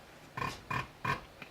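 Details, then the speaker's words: Spare Fordson Major diesel injector on a hand-pump tester, renovated by Precision Engineering: three crisp chirps about a third of a second apart, one per pump stroke, as it snaps open and shut vaporising the diesel; a good injector. "so when we squeeze the pump this injector is what we call it cheaps or it chirs like a bird which is it open and closing rapidly and and vaporizing the the diesel"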